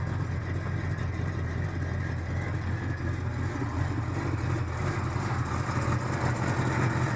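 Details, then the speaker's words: 1971 Chevrolet El Camino 5.0L V8 just after cold startup on electric choke, smoking slightly: deep, loping, slightly uneven fast idle; normal cold idle on choke that steadies once warm and the choke fully disengages. "Alright, once it's warmed up, that electric choke fully disengages and the idle gets a little more steady"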